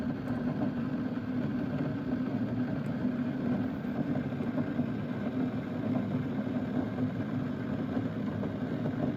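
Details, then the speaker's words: Keurig K-Mini single-serve coffee maker heating, microphone right beside its side: steady low rumbling churn with soft hiss, holding even throughout; water boiling normally. "You're looking at the side of it and you're listening to it boil."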